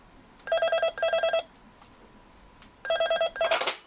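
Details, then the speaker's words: Intercom handset: ring bursts in pairs with pauses keep repeating after pickup and pressing door-release button, then a clatter; door won't open because the handset magnet sits misaligned. "मैंने दरवाज़ा खोलने वाला बटन दबाया। कुछ नहीं हुआ। यह बजता रहा"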